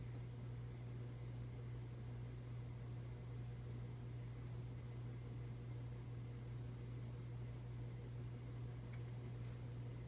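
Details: 1981 Emerson Heat Fan 52-inch three-blade ceiling fan on its original Emerson solid-state speed control dated 1982: steady low motor hum under soft blade whoosh, common with solid-state speed controls; fan wobbles slightly.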